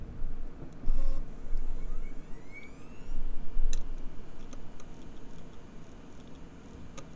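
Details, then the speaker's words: Bare hard drive after one year buried underground in a freezer bag through Canadian seasons; mic close to drive on power-up: sharp irregular ticks over faint spin-up hum, a modified click of death, drive very unhappy though data copied. "so it appears to be doing a very modified Click Of Death"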